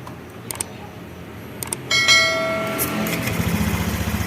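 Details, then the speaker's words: Honda Vario 110 / Beat FI eSP scooter after fixing ignition loss (MIL code 52, CKP sensor; code 12 from dirty injector socket); electric start catches at once, steady regular idle, no stumbling; normal start and idle after repair. "sip ini sudah normal besok tinggal dipasang-pasangin kabel-kabelnya ya"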